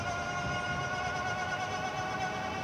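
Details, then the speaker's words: Stellar Falcon SE e-bike hub motor at full power gives a steady, high-pitched whine over low road rumble; this bike's motor is known to be louder than some others, though it performs well with a good torque sensor. "so at full blast you're can to hear it whine right so yeah she doesn't she doesn't like hearing it whining either"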